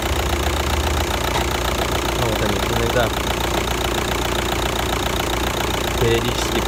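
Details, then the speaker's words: 2009 VW Touran, 2.0 L diesel, DSG-6, 118,000 km, at idle: an irregular rattle and knock that comes and goes over the diesel idle; the DSG clutches are worn and need replacing. "В общем, по машине изношено сцепление, как слышно, уже звук периодически появляется."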